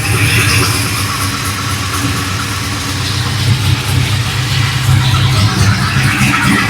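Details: Cold-start V8, not run for about a week, just after fitting BTR die-cast valve covers with coil brackets: steady low burble with no misfire or ticking, all eight cylinders pulling evenly; normal idle.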